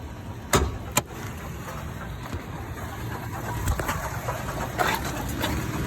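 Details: 2014 Toyota Tacoma TRD OffRoad at or slightly above idle: a quiet idle with irregular hollow clunks. The cause was a melted, failed AC compressor clutch and coil, and replacing them removed the noise.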